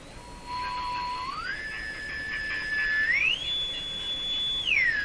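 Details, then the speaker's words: Sparton Model 5049 tube radio with IF transformers peaked: a clear whistle steps up in pitch as the dial moves, holds, then drops, with an edgy tone; the set breaks into spurious oscillation. "as soon as it breaks into its own oscillation it's it's its operation is different and sometimes just that difference can be heard aside from the actual oscillating tone"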